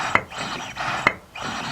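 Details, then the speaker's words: Jatco JF011E / RE0F10A CVT primary pulley, rebuilt assembly: three gritty rasping strokes, each ending in a click, as the sheave slides by hand; rough movement, which the owner suspects comes from grinding the shaft. "and actually as I'm doing this I feel like rough cuz probably because I grind the shaft s it"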